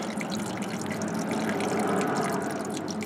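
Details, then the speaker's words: Ford Cortina MK3, engine off, filling the dry cooling system with a hose: continuous trickling water leaking between engine and transmission; owner suspects a frost plug pushed out by freezing in storage, hopes the block isn't cracked. "let me play with it now you see that water that is coming out from somewhere between the engine and the transmission"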